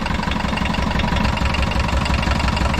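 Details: 1980s VW Rabbit diesel pickup, abandoned, gravity-fed fuel with no fuel pressure and little coolant: rough idle with dull, uneven low knock under the clatter; possible rod knock or piston slap, unconfirmed.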